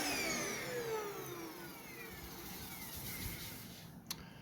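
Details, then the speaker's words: Brand-new Hoover upright vacuum running: shrill whistling tones over the motor's rush slide lower as it winds down. A high-pitched squeal, source unclear, though the vacuum works. "and this has a really high pitched squeal that sounds awful so not looking forward to reviewing this but it does work"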